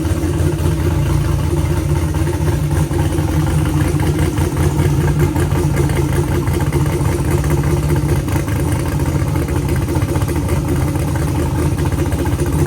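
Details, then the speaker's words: Car with a used transmission that whined (owner suspected the pump), after adding two quarts of transmission fluid: steady even engine drone with no whine; the noise went away and it responds better, apparently just low fluid. "It seems like it was just low on fluid. Um, I'm praying that's what it is cuz the noise went away. It's actually acting a lot more responsive."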